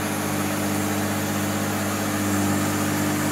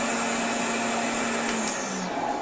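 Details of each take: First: Goblin (BVC) 10283 EaseElec upright vacuum, picking up sawdust on carpet: steady even motor hum with brief shift over carpet; runs smoothly, agitation strong, performs well. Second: Goblin (BVC) 10283 EaseElec upright vacuum, probably late 1960s, switched on without its drive belt fitted: steady high motor whine with no brush-roll sound, then winding down; motor spinning free.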